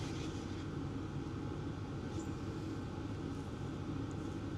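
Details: Hcalory Toolbox Max 8 kW diesel heater (2025) on high/max speed in a garage, outlet air about 200 degrees: even, constant blower rush over a steady low combustion rumble with no surging, popping or misfire; normal full-output running.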